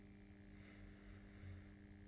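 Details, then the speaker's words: Bachmann 44-tonner switcher with DCC on an NCE Power Cab, 28 speed steps, speed steps one and two: thin steady electric buzz, motor hums without turning the wheels. "speed one it's farting okay speed step two the farting has not changed in amplitude or frequency okay"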